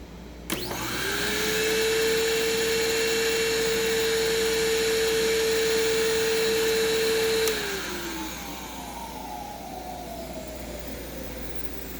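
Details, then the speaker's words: Bissell Heavy Duty (Healthy Home) upright vacuum, very dirty, belt slipping slightly: motor spins up to a steady, piercing high-pitched whistle over rushing hiss, sounding choked; owner suspects an internal blockage, with a possible burning smell. "well it runs fine but it sounds like it's clogged so probably just a blockage somewhere in the machine causing it to"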